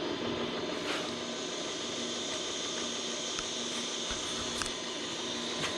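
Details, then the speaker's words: Van Norman 777 boring bar on power feed, light first cut: uneven start with a few ticks because the bore's top chamfer is uneven, then an even high cutting hiss, a full clean cut all the way around. "Sounds good. So they've got a wicked chamfer on the top of this, and it's not really even. Some of it's wider than the other. And that's why when it starts, it doesn't sound like it's even. But we're doing a full clean cut all the way around."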